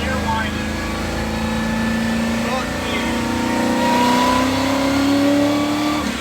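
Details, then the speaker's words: 1993 Ford F-150 with a 5.0 and T5 manual, driven after the transmission was removed to fix a second-gear grind: a clear tonal whine climbing with road speed in second gear. Bad enough that the transmission must come out again. "Well, you heard that, too. Second gear winds pretty badly. Badly enough to be really concerned about it."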